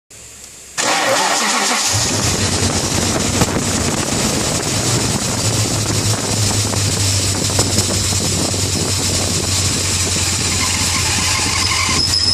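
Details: 1995 BMW E38 740i, M60B40 V8 at 281,000 km, cold start: it cranks, catches and idles under a loud harsh squeal. The owner suspects a failing, possibly original water pump bearing. It occurs only at some start-ups and goes away when the belt is retightened.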